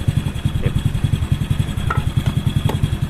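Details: Honda Supra Fit motorcycle whose flooding, fuel-leaking carburetor was repaired and then set with a tuning tool: a steady, even low thump at a settled idle with no misses or stumble.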